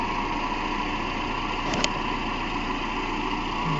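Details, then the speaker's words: 2010 Toyota Camry 2.5 2AR-FE at idle after replacing the idler pulley, belt tensioner pulley and belts: steady, even idle with a smooth low hum and no squeal, chirp or bearing rumble. The earlier noise that sounded like timing chain came from a pulley and is now gone. "Done, no more noise."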